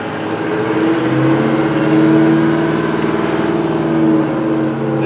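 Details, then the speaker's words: Freshly rebuilt and installed diesel engine in a motorhome during a parking-lot test drive, heard from the rear bedroom above the engine under the bed: an even, steady low drone with no knocks or misses; running healthy. "you can hear what the engine sounds like while we're underway"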